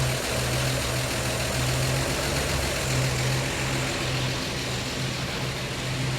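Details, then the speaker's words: 1952 Chevy Styleline Deluxe petrol engine with Rochester carb, cold idle after a stuck needle that caused overflow leaks was freed; steady, slightly rough low idle, cold so reluctant to rev, no surging, leak seems to have ceased; normal cold idle. "huh of course it's a little cold so it doesn't want to rev for me but for now that leak seems to have ceased"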